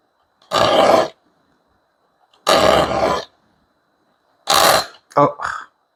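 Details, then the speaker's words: Filing the teeth of a rip-cut dozuki-type back saw (Okjo 340) that are set toward the body gives slow, harsh rasping strokes with a grating screech; filing only teeth set away from the body is less grating. "내 몸 쪽으로 지금 돼 있는 걸 연마니까 방금 전에 이렇게 날카로운 소리가 나요.이 소리가 귀에 거슬리잖아요. 지금도 귀에 거슬리잖아요. 이거는 이제 내 몸 쪽으로 나르김이 된 거를 연마니까 이렇게 소리가 거슬립니다."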